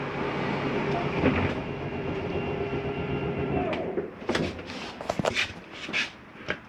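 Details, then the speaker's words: 2019 Grand Design Reflection 315RLTS, slide-out retracting: steady motor drone, then uneven clattering bursts as it bottoms out; normal clutch slip at full retraction, not gears grinding. "Now as the slide gets all the way in, you'll hear a little noise. It's okay to hear that. Nothing's grinding. That's the slide mechanism telling itself not to come in any further."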